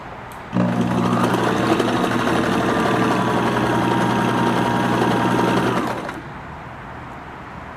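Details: Kenmore 1813 sewing machine (1974/75), cleaned, oiled and rust removed from hook, sewing a decorative cam stitch: even motor hum with steady needle clatter about four strokes a second; smooth, free-running, nothing binding.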